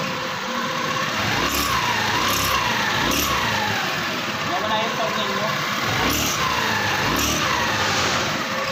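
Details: Scooter CVT before repair: engine running with short rising squeaks every second or so, like a mouse, from glazed clutch bell and hard linings on take-up; the bell is then roughened with 60-grit sandpaper.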